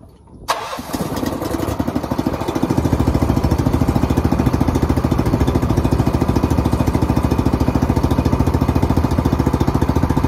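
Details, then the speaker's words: Engine, first start in 2 years: catches almost immediately after a brief crank, then settles into a steady, even chugging idle with no misses or knocks. "That's the first time it's been started in 2 years. First time it's even really turned over in 2 years."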